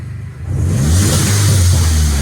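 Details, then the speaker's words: Mini Cooper S with a former crank/no-start, after a replacement high-pressure fuel pump, rail pressure near target: a clean, smooth, strong rev from idle with no misfire or stumble. Normal revving. "if it starts sounds better after it was taken over for a couple of minutes and it suddenly started sounding even better"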